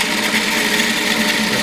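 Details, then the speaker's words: Piocreat G5 pellet-extruder 3D printer, extruder set to 300 with large layer height; harsh continuous grinding over motor whine, stepper overloaded. Extruder motor overload grinding. "okay okay oh it's really grinding it's too much for it too"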